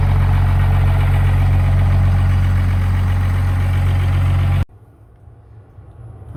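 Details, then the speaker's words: 5.9L 24-valve Cummins diesel in a one-ton project truck, after a no-start: water-contaminated fuel found, crank sensor ground wire fixed, started on one old battery with a booster charger. Steady, even, deep idle with no misses or knocks, then shuts off; normal idle. "so ground wire on the crank sensor the whole time. It's fixed up now, it's running."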